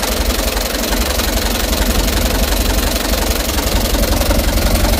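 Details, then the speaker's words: Mitsubishi Canter HDX diesel idling cold after injection pump calibration and plunger replacement, heavy slightly uneven thumping about three beats a second; rough shaking idle, revs hunting, worse when hot. "Nah setelah hidup mesinnya di sini kita melihat e getaran mesin ini mesin Masih dingin teman-teman ya belum panas ini jadi guncangan mesin sudah kelihatan untuk awal hidupnya"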